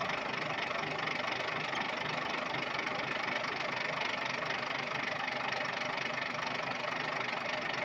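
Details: Volvo TWD121 stationary 6-cylinder turbocharged diesel engine running with a sharp, regular knock about twice a second, caused by a faulty intake valve; fixed by replacing the intake valve and gasket set.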